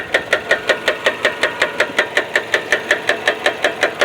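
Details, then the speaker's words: Hyundai Elantra with 190,000 miles: sharp, evenly spaced knocks, several a second, loud over a quiet engine; owner asks whether it is rod knock, cause unconfirmed. "knock in the engine of a hyundai elantra check this out guys see if you think it's a knock in the engine"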